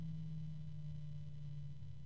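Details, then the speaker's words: Antec P12 120 PWM fan at low speed, starting voltage about 10.8 V, with textured blades: a steady, low single-pitch tonal hum. "the uh blades in frame of this fan uh do have a little bit of texturing on them whereas the previous fan didn't have any texturing on the blades very low pitch noise from this"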